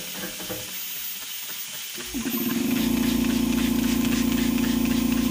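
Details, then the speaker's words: 1992 Dodge W250 with a 12-valve Cummins and H1C turbo, stock intercooler about 30 years old, boost-leak test at just under 30 psi: a sudden steady airy hiss. Intercooler leaking from many passages. "so so wow that's a lot worse than i thought it was going to be i got leaks on many of the passages here"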